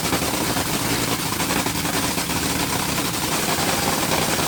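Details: Top Fuel Dragster engine after rebuild, started on alcohol then switched to nitromethane: very loud, ragged crackling rumble of a big blown engine idling on nitro, rough but healthy with no mechanical knock; normal idle.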